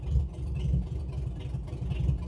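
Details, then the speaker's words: Ford Granada Mk2 2.8 V6 automatic, parked 20+ years, first run after fixing fuel returning to the tank, fed temporarily from an oil can: deep, loud, even rumble with small rev swells. Normal healthy running engine. "You cannot you cannot beat that sound ever. That sound is just that is just perfect. You cannot beat it."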